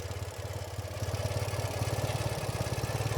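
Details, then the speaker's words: 2014 Ural Patrol 2WD sidecar motorcycle, EFI, fired up in one turn on a cold winter day, not warmed up; boxer twin idles at an even, steady beat, smooth and tight, no knocks; normal idle. "Idles super nice. It is pretty cold today. It's a winter New England day. And it isn't really warmed up. All we did was start it to move it outside. It's a very tight, very smooth running engine on this Ural."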